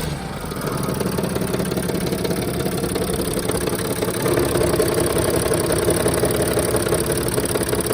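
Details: 2007 Sprinter OM642 3.0L diesel at idle, accessory belt removed, noisiest injectors already replaced: rough uneven knock with rattly chatter. Owner suspects heavy gear chatter or torque converter in the bellhousing, an exhaust leak and injector knock.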